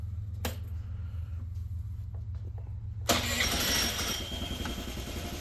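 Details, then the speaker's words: Honda Elite CH80 scooter cold start: quiet ticking, then it catches at once at about three seconds and holds a busy, steady idle. Healthy instant cold start, though the carb still needs tuning and it only reaches about 35 mph. "Yeah. That was an instant cold startup. Pretty good."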